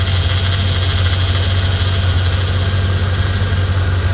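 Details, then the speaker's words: Corvette near 200k miles with a power steering leak, engine idling while fluid is poured into the dry reservoir: steady low drone, no whine or groan, pump kicking in and sounding normal. "Yeah, you hear that pump actually kicking in. Hey, that sounds good."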